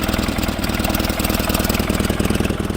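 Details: 1947 Farmall Cub warming up and revved a bit. Uneven, lumpy idle with a stumbling beat and dropped pulses; misfire because the valve beside the intake manifold on the right-hand side is stuck. Valve and carburetor work are still needed.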